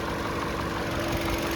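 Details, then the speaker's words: 2021 Toyota RAV4 LE at idle, bonnet open: smooth, even idle with a steady low hum, no knocking or ticking; engine sounds healthy, normal idle. "and you can see just how clean it is this thing is awesome no knocking no ticking sounds good perfect"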